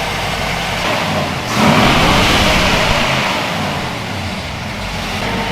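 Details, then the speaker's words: 1962 Chevy pickup during a tune-up, engine that had been missing before: steady, even idle with a smooth, regular beat and no stumble or lope; normal idle, firing on all cylinders. "Okay, you can start it. Not super bad. No dead spot."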